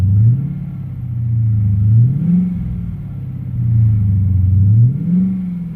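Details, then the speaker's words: Copart Dodge Challenger, cold start in freezing weather after sitting overnight; engine revs up and drops back smoothly, earlier lifter ticking now much quieter, none standing out over exhaust. "okay here we go [Music] it seems quieter seems a lot quieter"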